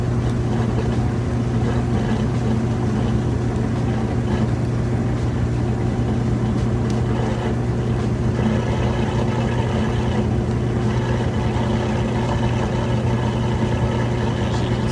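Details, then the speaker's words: Kenmore electric washer-dryer laundry center with belt and tensioner pulley drive, spinning up to near full speed: steady even hum, water draining, no thumping or wobble; smooth balanced spin. "There it goes, getting up just about full speed."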